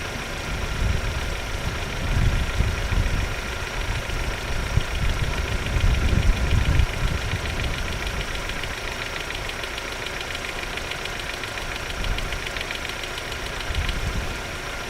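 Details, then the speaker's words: 1995 Opel Omega B X20XEV automatic, hot idle: light fast ticking about four per second swelling and fading in waves, appears only when hot; owner suspects hydraulic lifters, dash shows an oil warning. "звук он волно То есть он во-первых возникает на горячую то есть машина именно на горячую начинает стучать второе он волнообразный то бишь идёт наростами звук и тишина потом опять И тишина"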